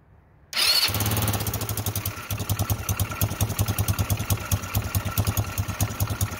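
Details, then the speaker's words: Chinese GY6 ATV after replacing clutch springs suspected weak (clutch grabbed at idle under 1,000 rpm), engine still cold: clean start then even steady thumping idle, no surging or clutch grab; no longer pulling away. "it's sitting in place. Before it would just take off. It's trying to a little bit. Still, it's cold, so it's not warmed up yet."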